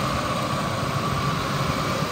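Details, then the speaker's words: 1999 Ford F-250 5.4 L V8, 125,000 miles, warm after about 30 minutes running: steady, even idle hum with no ticks, knocks or overheating; normal idle. "Body looks good. Motor sounds good. It's been running for about 30 minutes. No overheating. No funny noises."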